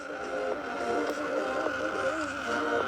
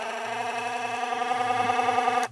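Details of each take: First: Charity-shop dancing-water speaker with coloured lights, paired to a phone over its 5-volt supply, playing music: starts fine, then sharp rasping grating bursts and the water stops; suspected gear inside not meshing properly. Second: Magnetically driven appliance from charity-shop e-waste, tested safe: steady buzzing hum with slight warble that stops cleanly when switched off; just the post oscillating, base gets warm, works fine.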